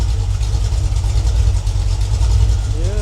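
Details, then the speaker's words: Freshly rebuilt Ford 302 V8 (E-303 roller cam, Edelbrock heads, Holley 600 carb) on its break-in run after refuelling and air burped out, temperature under control: steady, even low rumble at about 700–800 rpm idle. Reads slightly rich, and it is nice and smooth. "looks like we got about 700 800 RPM idle I think this Read's a little rich but uh the fan off for a minute sry for the sock but nice and smooth"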